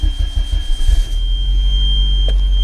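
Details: VW Passat B3 restart after restoring the ignition switch contact group and reconnecting the stalk switch: starter churns briefly, engine catches and settles into steady, even idle with no knocks; normal.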